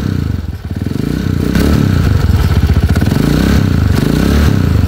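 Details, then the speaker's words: Atlantica TMX 155 pushrod single-cylinder before 200cc conversion, fitted with a Skygo timing gear and a clutch damper issue: clattery, uneven thump growing harsher as revs rise and fall, rough-running engine. "Okay, so ito, magaspang na rin yung andar mga bro."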